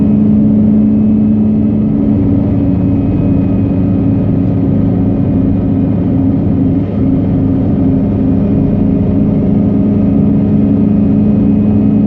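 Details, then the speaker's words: Mazda RX-8 under hard throttle at about 7,000+ rpm: steady howl with harsh metallic rattle like metal on metal, absent with gentle throttle, no performance change; cause found to be a loose exhaust heat shield. "Now if I gun it, that's where you hear it. Alright, feels like something is hitting against something else."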